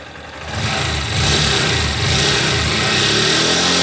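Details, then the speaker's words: 2021 Honda CG Start 160 single-cylinder: revs up and holds a steady, even exhaust note with no knock or tapping, quieter than a 125; healthy engine, whether cold or hot. "e esse barulho funcionando redondinho não bate nada tudo direitinho tá até mais silenciosa do que a 125 que eu tinha"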